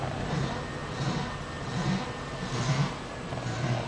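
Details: Passenger-side front wheel at about 2 mph going straight: a soft swishing rub swells about once a second with wheel rotation, no worse when turning, worse at slow speed; rubbing noise at front wheel.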